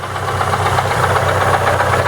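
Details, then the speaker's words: ZAZ Lanos 1.4 MeMZ 317 at idle: steady heavy knocking localized to the clutch housing, not the engine or cylinder head, near cylinder four; suspects loose flywheel or clutch/gearbox fault. "в общем такой сильный звук я локализовать он доносится с картера сцепления"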